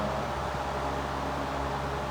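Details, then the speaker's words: Vintage 1940s Robbins & Myers 16-inch 3-speed oscillating table fan, model 24004-A, on 115.5 V 60 Hz, running on high after startup: steady even motor hum with soft air rush, no rattles or scraping; normal running. "That is a cool startup sound with the motor. Startup on high."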